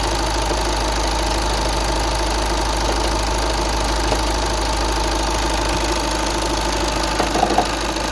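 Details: 2009 VW Tiguan 5N at idle: faint, regular knocking tick through the steady engine note; engine knocking at idle, cause unknown.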